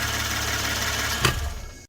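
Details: 2016 Hyundai Genesis Coupe 3.8 L, auction car with accident and flood damage and an ignition coil signal fault; this may be the identical known-good car used for reference waveforms. Steady, even idle with a smooth firing beat and no knocks or misses.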